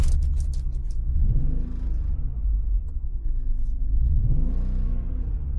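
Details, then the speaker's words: BMW E46 330Ci convertible, still misfiring after the MAF sensor was unplugged and codes cleared: deep, lumpy, stumbling exhaust rumble through small revs, with no cylinder identified by the codes. Misfire. "It's still misfiring. Why is it misfiring?"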